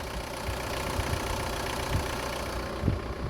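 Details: Petrol engine idling smoothly after replacing the Bosch accessory belt with a Gates belt and the idler pulley; no belt squeal or chirp, unlike before.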